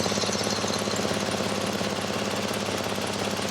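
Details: Crash-rebuilt 2006 Porsche Cayman S 987, 3.4 manual, at idle: a sharp, regular puffing tick about three times a second, steady with revs, typical of a blowing exhaust leak; the cause is suspected, not confirmed.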